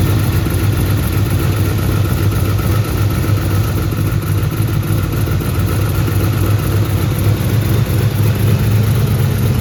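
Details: Turbo Trans Am engine after partial overhaul (revised heads, new camshaft, adjusted valves, new turbocharger), first start on break-in oil, held at raised rpm at the start of break-in: smooth, even idle with no knocks, ticks or misses; oil pressure great, normal fast idle.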